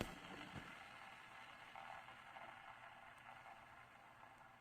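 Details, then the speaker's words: Daiwa SL30SH fishing reel spool spun by hand whirs down with a dry, gritty rasp from a worn bearing that needs replacing. "yeah going to have to order bearings it's a little grally hear it there's one bearing in there"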